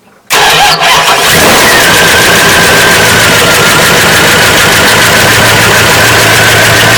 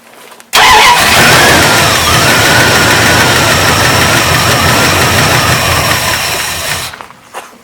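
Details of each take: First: Old lunch truck, carburetted gasoline engine, cold start after fixing fuel trickling into crankcase; started after pumping the gas, catches quickly then runs loud, stumbly and ragged on choke, starting to come around or about to stall. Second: Old lunch truck, cold start on choke, slightly lean: engine fires up and runs loud and steady with no ticking or tapping and just over 40 psi oil pressure.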